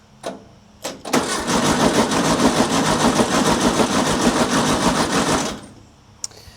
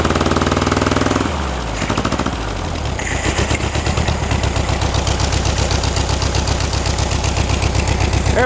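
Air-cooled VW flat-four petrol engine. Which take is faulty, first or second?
first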